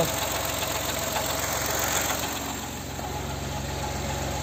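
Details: 2021 Chevrolet Tracker Premier turbo at warm idle, A/C off, pressing brake pedal; rough uneven metallic tapping three or four knocks a second over engine hum; Chevrolet engineering calls it normal; metallic knock at idle, cause unknown.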